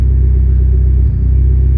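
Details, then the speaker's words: Mitsubishi Evo 10 after MIVEC delete cam gear install, warm, with solenoid unplugged throwing P1025, revved with no misfire. Deep, steady, even rumble with no ticking, knocking or misses; idling smoothly, the car is fixed. "sounds good imagine that it's not all [ __ ] up anymore wow well even though jared didn't believe in me the car is fixed"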